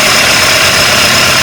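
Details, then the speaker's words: VW AP 1.8 engine in a Santana with a redone cylinder head: a thin, steady high chirp over the engine that appears on acceleration and comes from below; most likely the water pump bearing. "D um grilo quando acelera provavelmente 90% é a bomba d'água ali embaixo tá vou ver aqui ó ver ó o barulho Vem aqui debaixo dela"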